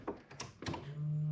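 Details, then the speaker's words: LQ4/LS3 engine build, first key-on about six years after assembly, after a fused ignition power wire was added at C101: a couple of light clunks, then a steady low hum as the electric fuel pump primes; normal. "now I turn the key this should light up and there we go so we'll plug it in to the car and we should hear the fuel pump come"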